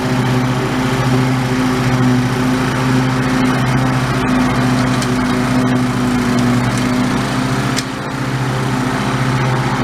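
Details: Old OHV Briggs single-cylinder on White LT1300 lawn tractor, repaired after pop, rattle and clang failure, test mowing: steady even beat pulling cleanly, no misses or knocks; normal running under load.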